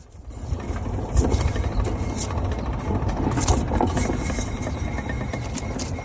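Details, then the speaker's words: Raised wheel at the rear, spun by hand: rough, gritty rumble with scattered clicks, after checking for side-to-side play; worn wheel bearing caught early. "Next, spin the wheel. Listen for any unusual sound like this."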